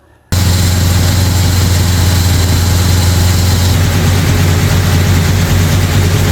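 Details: Brand-new 445 stroker FE V8 in a 1962 Ford Galaxie on its first break-in run. A fast, steady speed with a busy top-end clatter: a lifter or two ticking and needing adjustment. Timing also needs adjusting; oil pressure and water temperature are good.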